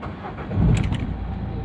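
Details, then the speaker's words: Renault Duster 110 diesel after replacing the sticking diesel injection pump relay and its fuse: brief crank, then it catches and settles into a steady even low idle with no stumble; normal start after repair. "गाड़ी में कोई दिक्कत नहीं ए रहा है तो of कर दिया मैंने"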